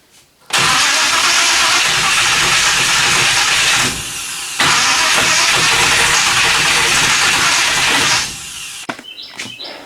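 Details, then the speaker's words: 1957 Chevy 210 after a carburetor rebuild with new gaskets, in neutral: starter churns steadily for several seconds with no firing; cranks but won't start. Owner suspects the spade connectors on the HEI ignition. "as you can probably hear from the previous clip it still doesn't run so I'm still trying to figure this thing out"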